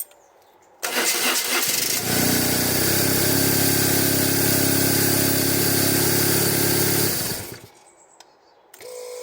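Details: 1997 BMW R1100RT with a no-start, fuel pump tested by jumpering it to ground: about a second of cranking, then it catches and settles into a steady, even idle before shutting off; starts and runs properly.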